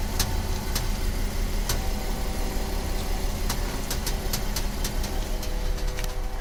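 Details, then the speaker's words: VW Atlas electromechanical power steering, idling while wheel turned lock to lock: sharp irregular creaks and snaps from underneath, not strut bearings; TSB 48-20-01, excess tension between servo motor and steering gear housing, fixed by loosening and re-torquing. "Alright, so here's the steering rack noise or strut bearing noise or something."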